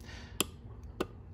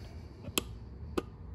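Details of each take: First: Four-pin relay on an ES192 12/24 V relay tester: two crisp sharp clicks about half a second apart over a low hum, green light, relay good. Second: ES192 12/24 V relay tester with a four-pin relay while set to five-pin: a couple of sharp isolated clicks, no open-close cycling, red light; wrong selector setting, not a bad relay.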